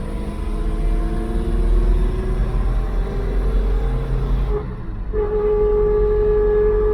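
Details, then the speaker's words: Mk3 Ford Cortina driving after a worn 1600 propshaft and centre bearing were replaced: a rear axle whine rises in pitch with road speed and cuts out during gear changes, now worse, possibly from a sharper driveline angle. "Okay, apart from the crazy axle noise, which is now worse. Obviously, we've got to get the axle fixed."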